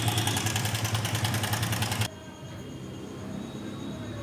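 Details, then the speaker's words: Hero Splendor iSmart 110 motorcycle idling after fitting a tensioner spring: harsh metallic clatter over each beat, worse than before; timing chain judged completely worn and to be replaced; oil leaking from the pump can also cause this. "কিন্তু আমি যেটা বুঝলাম timing চেনটা পুরো খারাপ হয়ে গেছে।"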